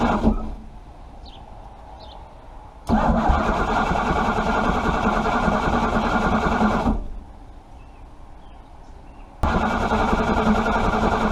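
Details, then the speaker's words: Chrysler 318 engine (one of a pair) cranked without starting fluid, fuel pump presence uncertain; two bursts of steady cranking about three and a half turns a second, never clearly catching: a hard start. "So I might have to use my phone to videotape this, but I'm gonna try and start it without using any starting fluid."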